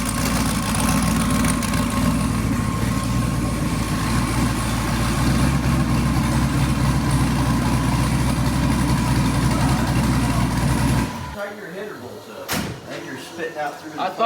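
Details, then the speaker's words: Engine noise at idle on a freshly rebuilt twin-turbo LS Camaro (forged crank, billet rods, forged pistons, 4L80E): low rough idle with a faint repeating tick following engine speed, heard at low rpm under slight load; source undetermined, owner suspects header leak or spark plug wire. "it's like a low rpm and under a little bit of load you can kind of hear it honestly"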